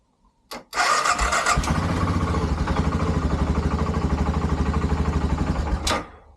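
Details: BMW F650GS Dakar restoration, after the throttle learn procedure on first start. Steady rhythmic cranking at about three beats a second for five seconds with no firing; it cranks but won't start, and the cause is unresolved.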